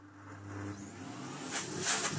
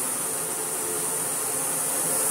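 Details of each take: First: Philips Blue Magic Silence TC739 vacuum cleaner first switched on: motor starts with an abrupt, jerky surge in uneven spurts, then settles into a strong rushing airflow louder than the motor. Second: Philips Blue Magic Silence TC739 vacuum cleaner at its first power-up: smooth, strong rush of air louder than the steady motor hum, with no rattles; normal running.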